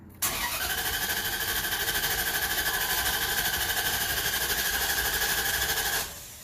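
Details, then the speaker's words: 2003 Dodge Ram 1500 4.7 V8 with cylinder 2 misfire code P0302, cranking with pedal floored: steady even cranking rhythm, no uneven beats, so compression sounds balanced and the engine mechanically good. "All right, so to me it sounded pretty even. So that tells me that the mechanical part of the engine is good."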